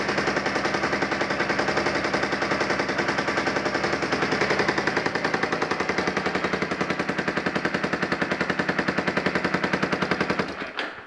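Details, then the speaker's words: Yamaha Warrior 350 single, first start after sitting years, new aftermarket carburetor, gas bottle feed: even, steady thumping at idle with no misses or knocks before shutting off; exhaust still to be fixed. Normal idle. "Yamaha warrior 350 runs now it's time to get all the plastics on it fix the exhaust and we'll go from there"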